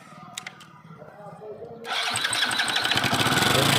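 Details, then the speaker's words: Motorcycle started in the shop: after a quiet moment it fires into a harsh, loud clatter of quick even beats, about four a second; abnormal engine noise, cause not yet identified. "ये आवाज जो है बहुत बेकार आ रहा है engine का आवाज सुन सकते हैं आप कितना खतरनाक आ रहा है"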